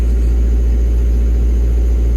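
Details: Develon diesel, after joystick plate adjustment, part lever up: deep, steady, even diesel drone at idle with no knocks or misses; auto idle working, plate not overtightened.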